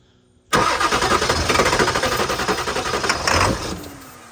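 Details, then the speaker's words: 1991 Ford F-350 after a 7.3 Powerstroke diesel swap, fuel filter just pre-filled: quick rhythmic starter cranking, about four beats a second, never catches or fires; cranks but won't start, suspected not getting fuel. "yeah it's not getting you w't then Crank It Again crank it I don't think he's getting fuel"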